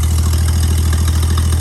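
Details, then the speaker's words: 1955 Chevy V8 with ongoing overheating, starter and fuel issues, now running off the fuel tank through the filter instead of a fuel can: deep, even idle rumble with no stumbles or knocks, briefly run before it overheats, normal idle. "All right, before it overheats, you can see it pulling from the filter down there. Running off the tank now."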